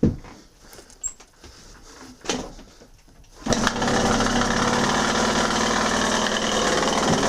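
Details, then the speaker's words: 2016 KTM 85 SX two-stroke with loss of power and hard starting: after a few failed kicks it fires into a buzzy, uneven idle that stutters and wavers. Rough running. "yeah that sounds really bad okay yeah okay guys now that we've already started the bike had a chance to listen to it doesn't really sound too healthy"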